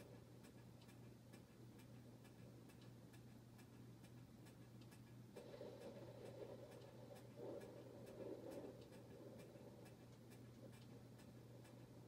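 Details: Harbor Breeze Bella Vista ceiling fan running: steady low hum with faint uneven tick about three per second as the fan wobbles, caused by a loose mounting bracket.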